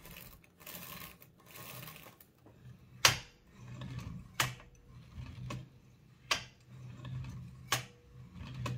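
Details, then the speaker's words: Toshiba BW-3112 Japanese kanji typewriter after restoration adjustments and cleaning: light irregular clicks with soft whirring as the character selector slews, no dragging; earlier excessive friction gone, selection now smooth. "so now you can nice and smoothly select whatever uh yeah the point said like earlier there was way too much friction for you to be able to easily slew to a single character"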